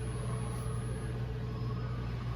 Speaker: this is an induction cooktop you hear that buzzing that's going on